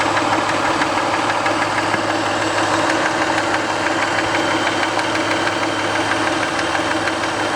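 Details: 1990 Toyota Camry 2VZ-FE V6 at warm idle after a 15-minute drive, knock appearing only when warm: light, fairly regular knock about three times a second over engine hum; later went away, owner guesses sludge/varnish on a shim/bucket.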